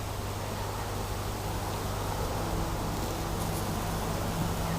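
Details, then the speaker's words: Spare transformer with dodgy wiring, driving a bicarb electrolysis bath: steady low mains hum with a faint higher buzz creeping in; overloaded, owner suspects a direct short, and it smoked and burnt out moments later. "anyway let's see how this goes I don't really like the sound of it hmm can you hear it don't do much in either"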